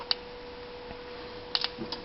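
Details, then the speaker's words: 1992 Honda with PGM-FI, no-spark fault: sharp, dry snapping ticks come irregularly over a quiet hum as the ignition sparks intermittently; the fault is in the wiring, connectors or harness, not the distributor or PGM-FI. "Even though you can't see it sparking right now, I can hear it sparking."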